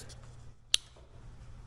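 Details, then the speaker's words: Suzuki Samurai electric locker, just wired to hot switch, chassis power and ground, in a quiet shop: one crisp little click as it's switched on, locker engaging properly. "I heard a little click. Cool."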